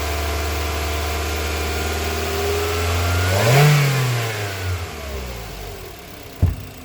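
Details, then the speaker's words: 2024 Mitsubishi Xpander GLS with a no-start, after reconnecting battery terminals: steady, even idle, then one clean rev rising and settling back smoothly with no misses or knocks; runs healthy, battery found to be the problem. "Okay. Kaya kita natin ay batery ang kanyang problema."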